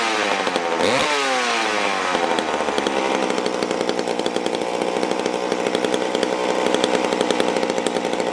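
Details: McCulloch Super Pro 81 chainsaw started after many months unused: catches with a quick rev, then settles into a crisp, steady two-stroke crackle with even firing and no stumbling. It is a healthy saw.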